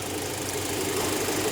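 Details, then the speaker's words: 2000 Rover 75 Club 1.8 K-series engine after head gasket repair and valve lapping, camera under the car. Soft, even idle with a low steady hum; the earlier tappety top-end tapping is gone. Normal idle. "Because it was running a bit tappity, tappity, tappity, tappity, tappity. It's quiet, isn't it? Nice and quiet. Better than it was."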